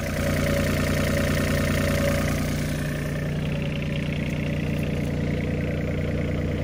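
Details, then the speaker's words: Mini excavator diesel engine at idle: steady, even clatter with firm regular beat and no misses or knocks, little crankcase blow-by and no oil venting; healthy, smooth running engine. "good smooth running engine it's got a lot of life left in it"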